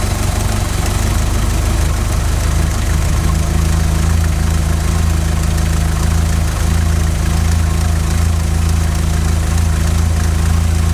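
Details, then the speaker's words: 16-valve Mk2 Golf GTI, idle screw set to 950 rpm, CO mixture at 0.7% versus 2% spec after failing MOT emissions: low idle with uneven lumpy beat drifting in pitch, engine visibly rocking; lean rough idle before CO adjustment. "okay if the idle wanders or is or is lumpy engine visibly rocking it is rocking and it is wandering a little bit"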